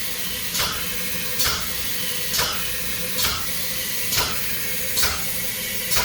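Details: Graco Python XL DA25 pneumatic plunger chemical injection pump, fluid column drained: sharp air-exhaust hisses about every 0.9 seconds with a thin, empty stroke between them while running dry.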